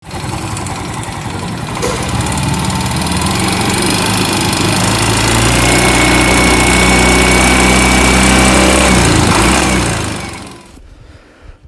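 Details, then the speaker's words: Yamaha Mio M3 scooter, engine somewhat warm, revving at high rpm: rough, fast, even tick of about four per second riding over it; valve train ticking from a worn camshaft lobe. "baik teman-teman kali ini saya sedang mengerjakan Yamaha Mio M3 William klinik kenalannya suara kasar ya saat udah agak panas suara kasar ngelitik ya teman kita dengar dulu ya suaranya kasarnya seperti ini ya"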